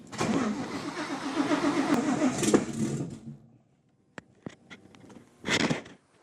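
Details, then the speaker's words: Fox-body Mustang, cammed built Coyote V8 with ported Boss 302 heads and a Whipple Cobra Jet supercharger, tune set for 120 lb injectors. Quick regular cranking pulses with ragged sputters for about three seconds; it catches but won't run. Owner suspects flooding, possibly ignition timing. "wonder why it's doing that I think it's flooding actually"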